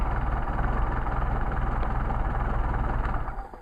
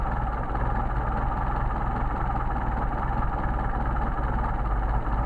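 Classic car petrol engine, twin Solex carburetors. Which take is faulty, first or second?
second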